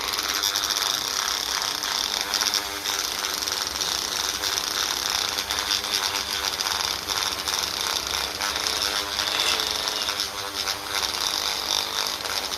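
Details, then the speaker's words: Rotary polishing tool used on the aluminium diaphragm housing/inspection cover for a 1954 Ferguson TEF diesel pump: shrill, rough high-pitched whir with a gritty edge under the polishing hiss; spindle bearings worn out, greasing tried, replacement planned. "I am waiting for this to die. The bearings are shagged."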